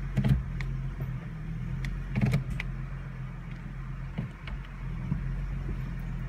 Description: 2015 mustang transmission clunks and shakes the car when selecting reverse from park.